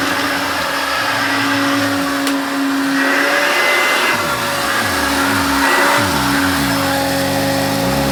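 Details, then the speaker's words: Hoover Turbopower Junior U1222 vacuum cleaner, bearings never changed: steady high motor whine with a rough, wavering undertone over the airflow rush; worn motor bearings need replacing, though it still works well. "As you can see, it still works very well indeed. New bearings on the motor will sort that one out a treat."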